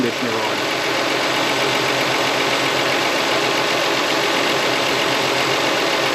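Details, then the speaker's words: 2004 Toyota Sienna with over 150k miles: customer complains of major belt noise. Loud steady running with a dragging, rasping undertone at about four pulses a second. Belt deflection and tension are correct; the AC compressor is starting to seize, loading the belt. "all right we got an ac compressor starting to seize up belt deflection is good and uh yeah it's at the correct tension that belt"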